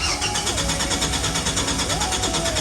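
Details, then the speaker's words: 1985 Ford Bronco 300 inline-six, not run in about a year, cranking on a newly installed starter wired GM-style and new fuel pump: quick, even strong cranking, no grinding or clicking; normal starter cranking. "It's been just about a year since BOV1 has last ran, so it's going to take a little bit to get him to actually fire up."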